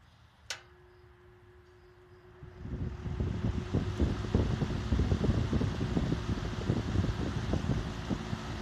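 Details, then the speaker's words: Vintage Emerson box fan after restoration and oiling, run on high then low: faint hum, then an even, fluttering whoosh with a steady blade beat; no scraping or knocking, running normally. "So let's start it on out, on high, then low."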